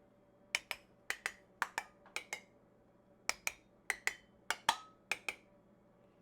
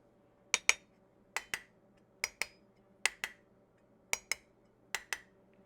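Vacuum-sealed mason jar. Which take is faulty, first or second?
first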